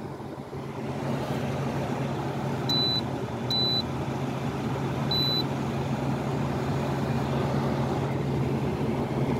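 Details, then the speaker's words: Frigidaire window air conditioner set to cool at 66, running about five minutes: only a steady fan rush and control-panel beeps, the compressor never kicks on; owner thinks the unit is bad, cause not confirmed. "and it's on cool but the compressor should have kicked on already"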